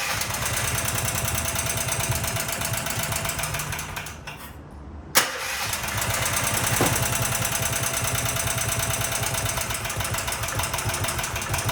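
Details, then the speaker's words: Predator 420 small engine, about a year old, after a valve lash adjustment: rapid, steady tapping knock about three per second while running, engine stopped and restarted; owner suspects the valves were set too loose but is unsure the lash is the cause. "Normally it did, but I noticed like a really bad, I noticed a really bad knocking. And at first I'm like, okay, maybe I set them too loose, and I'll start it up so y'all can hear it."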